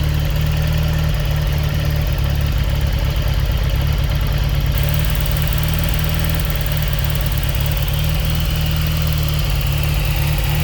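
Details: Fiat X1/9 engine: low, lumpy idle with an uneven pulsing beat that never settles, plus revving; rough idle.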